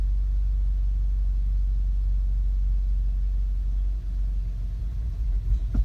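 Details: 2015 VW Golf R DSG, APR stage 2, cold or warm, in park or in drive with the brake held: low, lumpy idle that stumbles as if about to stall, with rpm needle jumping; drives fine; new plugs, coils and cam adjuster magnets didn't fix it.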